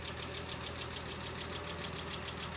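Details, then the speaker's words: 1970 Jaguar E-Type S2 OTS just started, water still stone cold, choke on: idle steady at about 700 rpm with 40 psi oil pressure. Light valve-train ticking, no bottom-end knock, belt squeal or exhaust leak. "And everything appears really nice. There's certainly no bottom end noises or knocking or anything worrisome. No squeaking from the belts up front."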